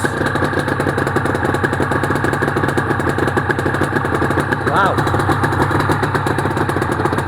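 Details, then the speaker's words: Honda NSR250R-SP MC18 250cc two-stroke twin with JHA pipes, started on choke, mic low near the pipes; crisp, even rapid popping from both cylinders at a steady fast idle, no misses; normal two-stroke idle. "Wow, those pipes do sound nice. I'll get down low so you can hear them."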